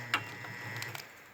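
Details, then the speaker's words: Washer that hums but doesn't work: a steady low motor hum with a few sharp clicks from the centrifugal switch. The motor coupler between the drive motor and the transmission has failed, so the motor spins freely. "then that would be this coupler that's spinning off right here that goes between the drive motor and the transmission in there"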